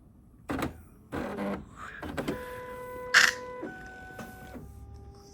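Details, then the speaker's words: NeXT Color BubbleJet BJC 800 SCSI printer, power-on after fitting ink cartridge: clicks and short motor runs, then steady stepped tones as carriage travels and homes; normal warm-up initialization. "Then we're going to plug it in. Then you should hear it click. That's good."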